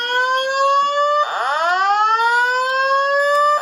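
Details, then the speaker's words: 4100U fire alarm system test with addressable TrueAlert notification devices: a rising then steady evacuation tone that repeats after short breaks, followed by the high-rise edition voice message. The alarm sounds as designed. "Oh, and the voice message, I forgot to mention, the voice messages are the high-rise edition. So you'll hear that."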